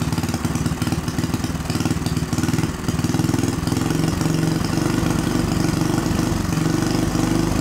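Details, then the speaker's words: Small see-through single-cylinder turbo engine on newly adapted Amp-EFI and pump gasoline, lightly tuned: even, quick thumping with a steady low note; runs cleanly, better than on carburetor, though turbo holds much oil. "Isso foi incrível Essa coisa começou e correu bastante bom para o pouco de afinação que fiz"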